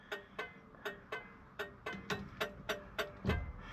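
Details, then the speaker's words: Plymouth Satellite after gauge swap and LED dash lights, headlight switch faulty: sharp flasher ticks about three a second, slightly uneven spacing, still ticking for unknown reason; owner says flasher sounds on its last leg. "I don't know why it's still ticking but that's it for this round"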